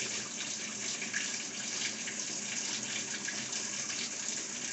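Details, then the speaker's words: Whirlpool commercial coin-op washer, model CAE2745FQ0, in onboard diagnostics mode: the lid locks, then a roughly 60-second water fill gives an even, steady hiss with no valve chatter or buzz. The fill valve works normally. "okay so it locked the lid and you can probably hear it putting the water in so this is what it's trying to do right here"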